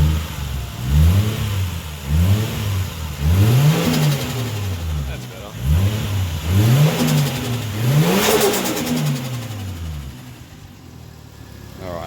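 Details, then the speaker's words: Toyota 1JZ engine after fixing broken engine mounts and cooler piping: idles at about 750 rpm, then strong clean revs rise and fall about once a second with no knocks or rattles, slight engine rock; normal revving. "our idea we're holding like 750 rpm which is good on idle sounds good"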